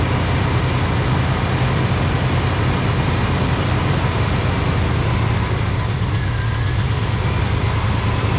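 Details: 1985 Pontiac Trans Am V8, 34,000 miles, parked since 1998, with a sticky carburetor. Steady, deep, even rumble with no misses, knocks or ticks; idles smoothly and sounds healthy.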